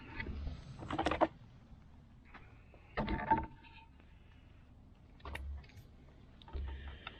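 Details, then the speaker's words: 2013 VW Tiguan 2.0T no-start, compression test on second cylinder: short cranking bursts spin quick and light with no compression beat or firing. Timing marks were right, but intake cam wasn't turned by its gear/actuator; zero compression yet passes leak-down. "It built 50 pounds of pressure the first time, nothing after that. Let's go to the second cylinder. That doesn't sound, something's goofy going on here."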